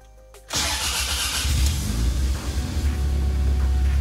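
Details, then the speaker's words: Toyota RAV4 project after its sludge-filled engine failed, first start of a replacement Camry engine from a wrecker: quick catch, steady low rumble settling to idle, no knocks or ticks, good oil pressure, running on four cylinders. "Sounds healthy. Lots of oil pressure."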